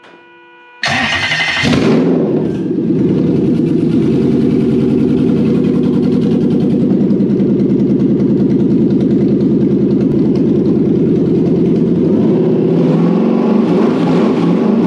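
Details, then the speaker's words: Toyota 1UZ-FE VVTi V8 on a universal wiring loom, testing the start inhibit switch: brief starter whir, then it catches at once and settles into a steady, even idle with no misses or knocks; it starts in park and neutral. "Ha ha! It works in park and neutral. Go."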